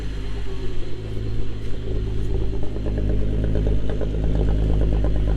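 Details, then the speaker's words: MK3 Jetta GLX 12-valve VR6 after tune-up fixing a misfire: deep even idle that climbs smoothly with a couple of revs, no stumble; misfire gone, running much smoother than before. "Guys, the car's running 100 times better. It's not misfiring anymore. It's super, super smooth. The car sounds super good."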